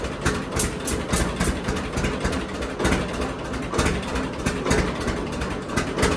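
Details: John Deere D two-cylinder tractor at idle before regapping Autolite spark plugs to 0.030 in: slow beat stumbles with uneven skipped pops; misfire from plug gap too tight.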